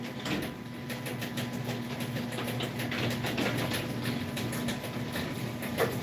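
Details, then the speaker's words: Sears garage door opener (second unit) running during testing and installation: continuous rumbling whir with a light rapid clatter; the noise is the drive belt, not chain slap. "that's the belt that's making that noise so if you're thinking I was chain slap it's not"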